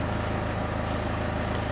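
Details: Citroen Xsara Picasso diesel with over 512,000 miles, idling at 700 rpm per diagnostics, fuel pressure 298 bar; steady, even diesel clatter, no knocks or misses, healthy normal idle.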